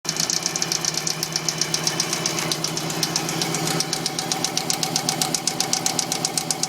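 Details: Subaru WRX idling: steady, sharp knock about four times a second; owner believes the engine is finished, cause not confirmed.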